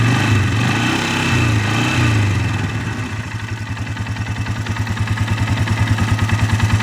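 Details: 2012 Polaris Sportsman 500 H.O. single-cylinder with CVT clutch, three days old: knock at idle thought normal for CVT systems, plus harder deeper knock under load like piston or rod slap; steady low thumping about three per second.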